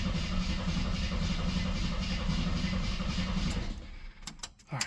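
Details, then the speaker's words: 1973 AMC Gremlin, sat 30 years in a barn, possibly ratty starter, spark not yet checked: starter spins the engine briskly with even, regular compression chugs, no dragging or clicking; healthy cranking. "She sure sounds really healthy cranking over, although normally I verify that it actually does indeed have spark, which I haven't at the moment."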